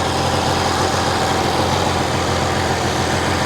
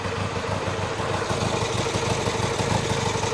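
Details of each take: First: Vintage twin-cylinder motorcycle just kicked over from cold: it idles a little unevenly and lumpy, with a short blip of revs, then settles down and sounds pretty good, both cylinders warm. Rough idle after cold start. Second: Twin at warm idle after kick start, both cylinders warm: steady, even beat with no knocks or misses; sounds pretty good, healthy.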